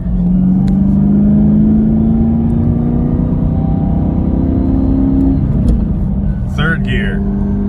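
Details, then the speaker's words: Camaro SS manual transmission, bought from dealership (dealer called it clutch): steady whine climbing with road speed in second going into third gear; whine present first through third, worst in third, silent in fourth; needs a new transmission. "It sounds very mechanical. It just sounds like something just like sliding against each other."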